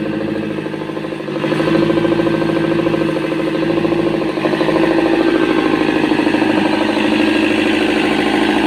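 Diesel idles with an uneven, lumpy beat and a droning hum that wavers slightly; rough running after a hard start. Cause suspected, not confirmed.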